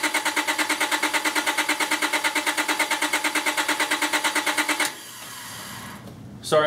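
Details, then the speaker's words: 2001 Honda Accord cranked on a jump starter with the PGM-FI main relay unplugged so it cannot run; steady even cranking about three compression pulses a second for five seconds, never catching. Deliberate crank, no start. "right now I have the uh pgmfi main relay unplugged just to keep it from running and uh I'm going to crank it I don't know maybe two more times and then give up here"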